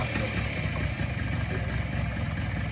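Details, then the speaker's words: 1983 Honda PA50ii moped first start in three years after looping the CDI wire to ground restored spark: very quiet even low putter with no misses or knocks; smooth healthy idle. "oh it's going yeah wait it's going it's so quiet I didn't even hear it we have a living motor in this thing holy cow"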